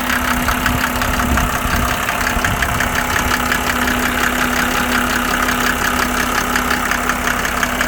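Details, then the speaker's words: 1987 Mercedes 300SDL W126 OM603 diesel on a cold start, before a diesel purge; starts first time and idles with a hard, fairly even clatter at about three knocks a second and no smoke; loud combustion knock, injectors suspected. "And it starts, this is a cold start, and it starts the first time every time. And let's see here. So I'm going to let you hear what the engine sounds like."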